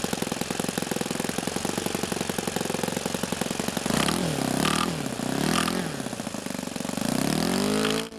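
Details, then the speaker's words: O.S. FS-91 Surpass four-stroke nitro RC airplane engine, hot, high-speed needle leaned past peak: sharp rapid ticking at high revs, then note wavers as richened to cool it; lean detonation knock. "little bit of knocking right there the engine was hot so what i do here is i richen it up to cool things off"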